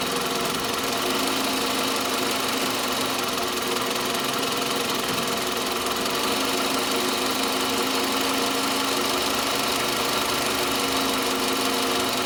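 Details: Toyota Camry 40 with 2.4 engine at idle: a sharp, ringing tick at about three per second, steady and constant, coming from near the alternator; engine knock, source not pinned down.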